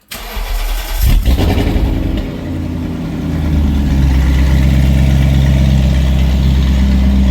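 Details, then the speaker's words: BMW after a no-start fix (dry tank; the fuel pump shares fuse 31 with ABS): catches at once and settles into a loud, deep, even idle; catalytic converters were cut out with the O2 sensors left in place. "starts right up. Sounds halfway decent, actually. Why is it so loud? Somebody went underneath there with a sawzall and cut the cats. Yep, cats are missing."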